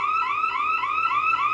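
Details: Bosch Radionics 4012/8012 intrusion alarm demo panel: loud warbling electronic siren sweeping up about every quarter second, steady and unbroken, burglar alarm sounding after the rear motion zone was tripped once the exit delay expired.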